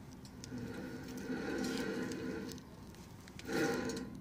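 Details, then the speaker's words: 2004 Ford Mondeo Mk3 2.0 TDCi 130hp, rear brake disc spun by hand with caliper removed: rough droning growl swelling twice, worn wheel bearing needing replacement. "on écoute bien le bruit sur les roulements il faut carrément remplacé les roulements"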